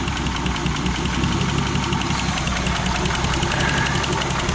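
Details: Turbo M52 E36 on E85, cold start at 38°F, idling very low at about 500 rpm: uneven, stumbling beat as the cylinder 4 coil is pulled, proving cylinder 4 fires after an earlier no-compression episode possibly from a stuck lifter.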